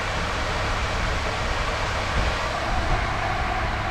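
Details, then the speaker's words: Supercharged Honda K20 with K24 crank pulley, warm at about 1,000 rpm idle, coolant 188, IAT 123: smooth, even idle with a steady hum and no belt squeal or chirp after an earlier belt whistle cleared; running cleanly. "temperature 188 IAT 123 idle is about 1,000 sounds good sounds good"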